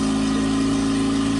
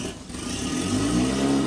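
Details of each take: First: Brand-new outboard on a 2020 Triton 216 Fishunter, cold start without holding the choke: steady, even hum at fast idle while warming up until it runs crisp; healthy. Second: Brand-new outboard on a 2020 Triton 216 Fishunter, near idle during warm-up, throttle blipped once: one brief chug, then a smooth climb; a chug means still cold, so let it warm longer.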